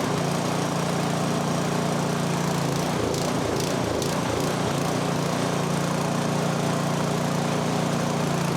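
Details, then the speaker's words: MTD snowblower, 2–3 years old with about an hour of runtime, started by cord at half throttle with choke: single-cylinder engine runs rough, stumbling mid-run; suspected fuel starvation from low fuel or a plugged pilot jet, not confirmed. "It might be starving for fuel. There really isn't that much in there. And if that's not the case, it's the pilot jet is plugged up."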